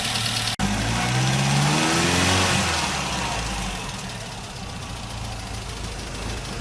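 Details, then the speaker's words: Triumph TR4A with twin SU HS6 carburettors after tuning: jets set flush with bridge, balance checked, Colortune flame blue throughout; revs rise and fall smoothly with no popping, spitting or hesitation, carbs sound balanced and crisp; normal running. "Okay, so I have both the carburetors tuned to where using the color tune, the flame is blue all the way through."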